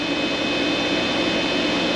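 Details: Vtoman Jump 1800 LiFePO4 power station running a microwave and coffee maker together, drawing about 1560–1569 W of its 1800 W rating; cooling fan kicks on, steady airy rush with faint whine, no rattle; normal cooling.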